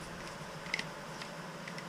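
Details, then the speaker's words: SPV SAR50 automatic tapping head (MT2 taper) being repaired: a few sharp, uneven clicks as its spring-loaded ratchet clutch slips almost constantly. Tightening the clutch springs increases its grip. Slipping clutch. "If you hear it clicking, so if we go back, try it off, it almost slips all the time. There you go, it's slipping like mad."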